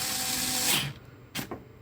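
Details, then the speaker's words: Parkside PAS 4 D7 cordless electric screwdriver held stalled on a screw: the strained motor whine cuts out abruptly after under a second, then light clicks follow. Overload protection tripped. "Okazuje się, że po chwili oczywiście przytrzymania tego dłużej na śrubie, przy większym zmęczeniu, następuje odłączenie."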